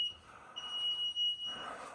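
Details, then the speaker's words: Newly installed HVAC system in a basement: the unit's alarm sounds a high-pitched electronic beep in long pulses, about a second on and half off. It is flagging a fault, and the flash-code meaning and cause are unknown. "Something's got to happen on this. This dadgum beeping's got to stop."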